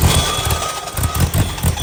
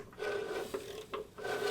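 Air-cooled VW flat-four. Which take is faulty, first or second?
second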